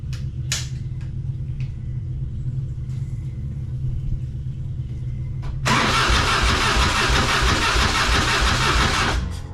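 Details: 1999 Harley-Davidson Fat Boy, just after its gas tanks were cleaned and reinstalled, started off a jump box: slow cranking, then it catches and settles into a loping, even-firing idle at about three beats a second. Normal start and idle.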